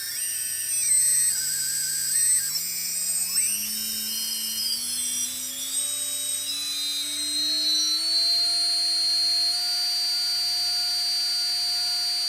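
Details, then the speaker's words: T-Motor 2206 2000KV motor without propeller, on a bench arm, UBAD 20A Beast Mini ESC, benchtop power supply and servo tester, starting near 118 and ramped up: clean whine climbing smoothly in steps then holding steady, no rattle; normal motor spin-up. "so as i dial up the speed it was kicking at about 118 there we go and then slowly ramping up the speed you can hear how fast it will go"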